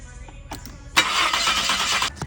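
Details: Maserati cranking: starter spins steadily about a second without catching; crank-no-start traced to a corroded, broken pickup sensor shielded wire, bypassed with a jumper wire.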